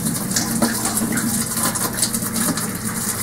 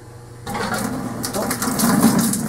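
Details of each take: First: Air purge of new copper lines feeding a Modine unit heater from an oil-fired hot water hydronic boiler, drained through a washing machine hose: steady rushing water with a faint hum and no sputtering or gurgle; lines fully charged, no leaks. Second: Newly installed Modine 33,000 BTU hydronic unit heater tied into a hot-water boiler, being purged of air through a washing-machine hose: a steady rushing hiss as water moves freely through the filling lines. Normal flow.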